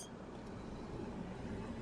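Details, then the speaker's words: Campervan with a 3.0L Iveco diesel at a smooth, even idle under a steady fan rush while the AC runs after a refill with 450 g of the roughly 550 g of refrigerant specified; vents reach 13 degrees, high-speed fan kicks in, about 2.8 bar; normal. "I could also hear the high-speed fan kicking in. So this means that the gas is getting hot and it needs cooling."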